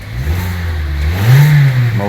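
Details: 2012 Kia Soul after replacing the crankshaft position sensor for code P0335 and clearing codes. The engine catches cleanly, revs up smoothly and settles to an even, steady note with no misfire; normal start.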